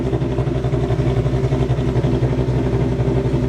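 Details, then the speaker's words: 2023 Mustang V8 on E85 with stock headers, just after a cold start with the exhaust valves fully open. Loud, lumpy idle with a slightly choppy pulse, still high at about 1,000 rpm and slowly dropping. High idle settling after cold start. "Okay, now the valves are all the way open. It's still high idling. It's slowly starting to come down. It's at 1,000 RPM right now. It's dropping."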